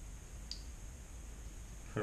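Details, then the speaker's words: GM 4L60-E transmission electronic shift solenoid, removed from a Tahoe, bench-tested on a 9-volt battery (polarity doesn't matter): two crisp clicks as the plunger snaps over, solenoid passes. "gonna just connect it to the 9-volt battery it doesn't matter positive negative and you just listen for a clicking sound"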